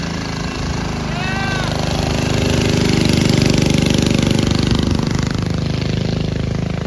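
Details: Early-1970s Pacesetter Trailbuck mini bike, small single-cylinder engine, riding after replacing a failed torque converter and re-setting it for jackshaft use. Steady rapid drone, pulling smoothly as revs climb and ease off, healthy even run.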